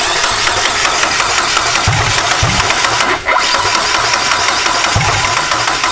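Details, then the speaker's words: JDM turbo Miata on MegaSquirt, first start attempt; cranks with a few uneven low thumps that never catch, RPM reading jumping 200 to 0, timing all over the place: no start from damaged crank pulley markings read by the crank position sensor. "Seems like the timing's all over the place. Alright, so the crank position sensor, which measures where the crank is on its rotation so the car knows when to fire, it actually uses a sensor and it uses markings on the crank pulley to figure out where it is."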